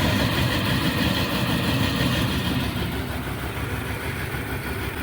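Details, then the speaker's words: Dodge Ram/Dakota gas engine idling after crank-no-start fixed by replacing distributor cap: steady even low rumble, no misses or stumbles; normal idle. "right truck is up and running right now so the Steep the distributor was the problem I just replaced the the cap"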